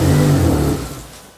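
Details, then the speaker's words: Proton Wira off the road for 12 years, no-start: on starting fluid in the intake it catches and revs briefly, then fades within a second; has ignition and compression but no fuel, fuel pump suspected. "It's wanting to go, isn't it? It's wanting to run on it. Okay, that's the first test."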